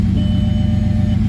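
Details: Rebuilt VR6, first start after installing it in the car, no coolant yet: steady low idle rumble with an uneven beat and occasional dropped pulses; idle misfire, owner suspects a disconnected wire or missed vacuum line.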